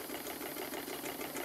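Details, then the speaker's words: Stuart Models triple expansion steam engine running on the bench on live steam from a Stuart 504 boiler, after run-in on compressed air: quick, even chuffing of six to seven beats a second over steady steam hiss; runs smoothly, slight high-pressure cylinder oiler leak. "seems to run very well indeed on steam"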